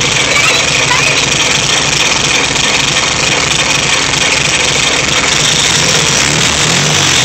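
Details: VW Type 3 1600 cc single-port engine, first start after rebuild: busy air-cooled clatter at a steady, even idle with no stumbling or deep knock; normal idle.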